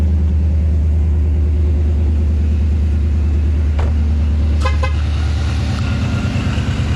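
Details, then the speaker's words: Engine's first start after a DIY Paxton supercharger install, on a baseline tune and low on fuel, warming up with cylinder head temperature 124: steady, even low idle rumble. Runs normally, with no knocks, misses or hunting. "sounds vicious right now I love it everything seems pretty fine as of right now the cylinder head temp is at 124"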